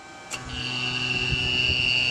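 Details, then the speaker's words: Recovered lead-acid battery charged for 24 hours, feeding a power inverter that runs a fan: steady high-pitched alarm over the fan hum as the motor slows and voltage sags from 11 to under 10V. Inverter low-voltage alarm. "And you can hear the inverter motor slowing down, plus an alarm going off."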